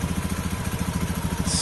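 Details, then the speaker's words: Honda Beat FI ESP scooter after front pulley roller and housing repair, CVT and engine covers refitted: quick, even pulses at a steady beat with no scraping or rattle, running smoothly; normal running after the fix. "sudah halus lagi ya pekerjaan berhasil"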